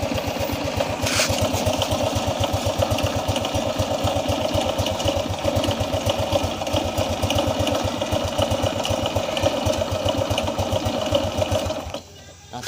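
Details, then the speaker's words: Honda Revo Absolute motorcycle after an ignition (no spark) fault was fixed and the plug wire refitted: it fires up and settles into a steady, even putter with no misses. Ignition is working normally again. "teman sulit ya untungnya sudah bunyi Kembali jadi yang bermasalah itu adalah siklusnya"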